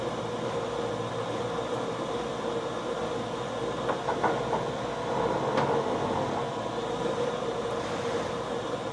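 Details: HP printer rewinding vinyl media: steady mechanical rumble, mid-pitched drone and occasional clicks, louder in person and only present when the machine rolls the vinyl back; abnormal noise, cause unknown.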